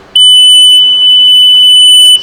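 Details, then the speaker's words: Boat (JetJon) rebuild, gauges and handlebars just wired to battery, engine off: single steady high-pitched beep held about two seconds then cuts off; gauge cluster warning beeper sounding. "I'm going to put this on there and see if it beeps [Music] something is making noise"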